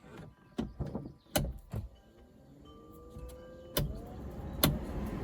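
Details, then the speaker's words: Triumph TR7, ignition key in position 1, heater blower fan switched on. Switch clicks, then a smooth hum rising in pitch as the blower spins up and runs steadily. Fan working fine. "nicely working fan. Good."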